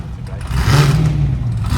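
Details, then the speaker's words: Blown V8 burnout car "Shut Up" at Northern Nats, test run before competition: deep, clean rev climbing smoothly and holding without misses or pops; no oil leaks, engine sounded on song. "Got the pimp limp. No oil leaks. And she sounded fucking on song."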